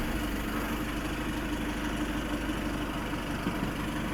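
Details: VW Passat B8 after camshaft sensor replacement for no-start/hard start: smooth, even idle with a steady low hum, no misses, stumbles or knocks; engine runs cleanly.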